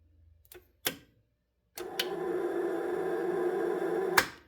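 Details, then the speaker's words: 2012 Honda Civic starter under test. A few clicks, then a steady, even whir for about two seconds with no load; the inner rotor spins freely without driving the gear, and the starter is judged bad and to be replaced. "So, that's see that that's what we were hearing. It's not even spinning the gear anymore. It was just the uh the the rotor over there on the inside just spinning."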